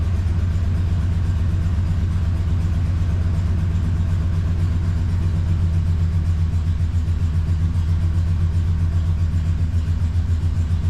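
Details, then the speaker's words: Ford 5.4 V8 truck just after engine repair, first start, check engine light on: loping, slightly uneven idle, not running right; owner suspects air still in the fuel system. "it's not like we're missing a spark plug it's just not quite running right probably to get all the air out of the system"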